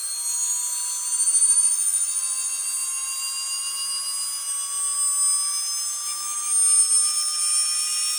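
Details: Atlas launcher gyro rotor spinning up on 115V AC with a 270nF capacitor: high shrill whine with several rising tones and a harsh buzzing edge, very noisy at full speed.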